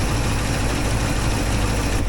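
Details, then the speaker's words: 1964 IH Travelall C1100 during timing and carburetor sorting; fuel pump suspected too strong, overfilling the bowl; idle adjusted down from about 1,000 to 850 rpm: low, even burble, no hunting or stumble; sounds much better, best so far. "look at that. Sounds pretty good. Yeah, that sounds much better."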